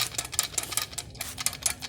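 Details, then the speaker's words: Chevy Cruze worn dual mass flywheel, removed from car and rocked by hand: loose, sharp metallic clacking; it caused the rattle from the clutch area, throwout bearing also noisy. "Alright, you see how noisy and how much that baby moves? Listen to all that noise. Imagine that thing spinning at 1,000 miles an hour, how noisy it's going to be."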